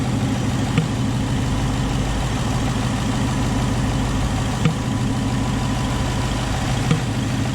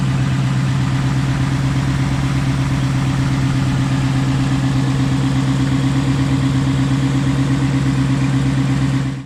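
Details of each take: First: Tuned (Lund 93-octane tune, since removed) 2019 Ford Mustang GT V8 at idle with sharp single pops every few seconds: the little motor in the electronic throttle body was sticking; Ford replaced the throttle body under warranty (TSB issue). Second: Tuned 2019 Ford Mustang GT after Ford replaced sticking throttle body under warranty: smooth steady idle with even low drone, no popping or stumbling; repair seems successful so far, healthy.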